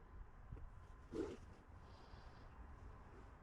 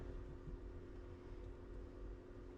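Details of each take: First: 2017 Ram ProMaster City Tradesman with fan previously stuck on high: relay click then rushing air roar to a strong steady whoosh during scan-tool actuation test; fan works on high and turns off, low speed not working. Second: 2017 Ram ProMaster City Tradesman, coolant around 154°F: steady low roar of the radiator fan running flat out with key off; radiator fan high relay latched, fan stuck on high.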